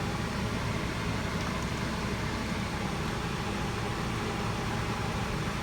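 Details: 2012 Hyundai Sonata with electric power steering, after the part causing a clunking knock in the steering column was replaced (part 563152K000FFF): steady even hum while the wheel turns, no clunks or knocks; steering now quiet and healthy.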